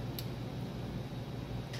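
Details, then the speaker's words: Denon AVR-S700W AV receiver with a no-display fault, plugged in after a thin-wire jumper repair: two sharp short clicks over a faint hum as the power relay pulls in normally, display briefly appears; normal power-on relay click. "i hear the click i see some of the display you see it"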